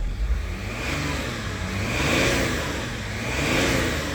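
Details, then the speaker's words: BMW E39 525d 163 hp diesel after replacing the in-tank fuel pump (old one had a melted connector, blowing the fuse): revs climb and fall smoothly twice, pulling cleanly without stumbling; sounds different than before, fuse no longer overheating. "Suena diferente, ¿no? Antes no sonaba así."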